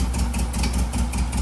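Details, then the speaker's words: 1958 Karmann Ghia air-cooled flat-four that kept wanting to die, checked cylinder by cylinder: cylinder 3 responds, cylinder 1 gives no response; uneven idle with a regular low thump about five times a second from a dead cylinder; valve lash out of adjustment. "Right here, what I'm doing is making sure all the cylinders are working. Cylinder 3 is working just fine. Cylinder one, I'm not getting any response."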